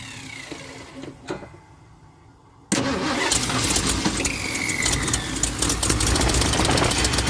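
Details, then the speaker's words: 1976 Ford F250 crew cab, parked 17 years, battery charged, waiting for the fuel pump to pick up: steady cranking and the engine barely runs, with possible flooding from added gas. Hard start, long crank, cause unconfirmed. "let's try to crank it again let's hope see if this little fuel pump will pick up a little bit foreign thank you yeah she's running a little bit"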